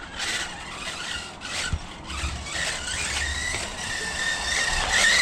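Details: RC truck with a 4000 kV motor on 2S, not at full throttle: a high, shrill squeal rising and falling with throttle bursts over the motor whir. Cogging is gone, but the drivetrain is noisy and the owner suspects the diffs.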